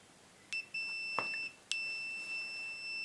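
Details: 1946 Classic TM5 valve radio mains cable, continuity check on the blue neutral after no beep at first, probe clipped to bare copper strands and touched to the screw; clean steady beep each contact: connection intact.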